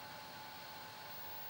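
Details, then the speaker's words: Amiga 600 with Furia accelerator card, microphones placed on top of machine: steady airy hiss with faint constant high whine; loud Furia cooling fan. "as you can probably hear the fan on the Furia"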